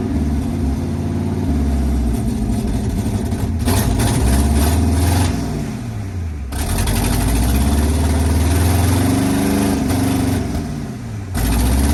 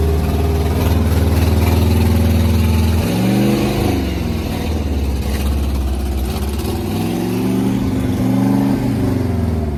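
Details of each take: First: Abandoned 1980 International Scout II, engine previously seized, now running and still burning off crud; idles steadily and revs rise and fall cleanly with no knocks or misses, though it needs a carburetor. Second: Abandoned seized 1980 International Scout II engine with rust in cylinders, first start after spinning it over: loud, uneven lumpy idle with revs rising and falling, smoking heavily as diesel put in the cylinders burns off; major ATF leak noted.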